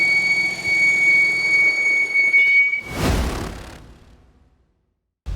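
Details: Whistle from the engine bay of a 2013 Audi A6 C7 with 136,000 km, engine running during diagnosis: a steady high-pitched whistle caused by a failed crankcase ventilation oil separator.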